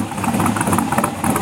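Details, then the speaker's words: LS7 V8 in an S10 truck at idle with newly built 3-inch exhaust: louder, deeper, almost hollow note with an even cam lope; normal healthy idle. "Alright, it's definitely louder. A little more of a deep tone to it. Kind of almost a hollow sound."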